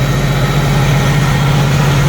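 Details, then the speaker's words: 1990 Jeep YJ 4.2L carbureted, 5-speed, new carburetor, warming up; steady even low idle rumble, no misses or knocks; normal idle, though choke snaps shut on throttle and probably needs adjusting. "it's back to idling good. Probably I'm going to let this run for a few minutes, and I'll be back in a couple. She's running really good at idle,"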